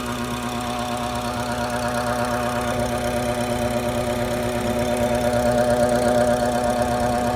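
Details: BMW F10 535i N55 turbo engine idling with a quick, fairly even tick about three a second over a steady hum; faulty boost solenoid, noise gone after replacement.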